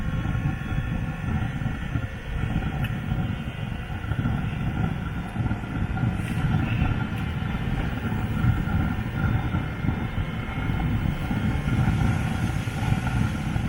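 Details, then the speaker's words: Webasto diesel fuel-burning parking heater on Land Rover Freelander 2, running about half an hour: steady, even jet-like roar with no pulsing, popping or surging; burner running cleanly, hoses and coolant warm, normal running. "it's all running it's been on for like half an hour"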